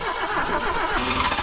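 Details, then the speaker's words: 1974 BMW 2002 after sitting over 30 years, first start: engine catches, stumbles and coughs unevenly trying to run up, blowing rust out the exhaust. "she wants to go she wants to go blowing rust out the [Music] exhaust"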